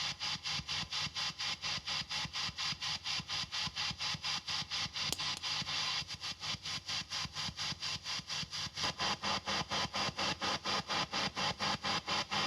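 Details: Fender-style PCB tube amp with TAD red-base power tubes biased about 18–19 mA per side, speaker and speaker cable replaced: hiss swells and fades about twice a second over a faint soft thump, a mild, normal tremolo pulse.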